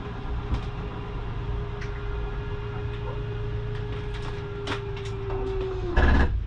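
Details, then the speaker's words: Coachmen Catalina 243RBS travel trailer slide-out retracting: steady motor drone and hum, then brief clunk and buzz at the stop as the mechanism keeps it from coming in too far; normal slide-out end-stop noise. "you hear that, it's okay to hear that. That is just your slide mechanism keeping itself from coming in too far."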